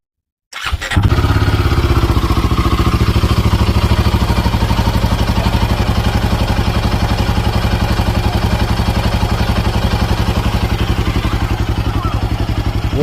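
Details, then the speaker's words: Royal Enfield Himalayan 450 after the engine head was replaced under warranty to cure tappet ticking: fires cleanly and settles into an even single-cylinder thump with no ticking from the top end; normal idle. "So ನಾನು ಆಗ್ಲೇ ಹೇಳಿದಂಗೆ engine tap it noise ನಿಮ್ಮ engine ಇಂದ tick tick tick tick tick tick tick ಅಂತ sound ಬರುತ್ತೆ ಆ sound ಇವಾಗ ಇಲ್ಲ ಕೇಳಿಸಿಕೊಳ್ಳಿ ನೀವೇ"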